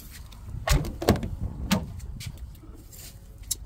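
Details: Infiniti QX80 door after fixing the door popping by adding a 1/4 rubber washer at the moving part with a 10mm tool: the door swings and latches with soft thuds and clicks, no popping or creaking.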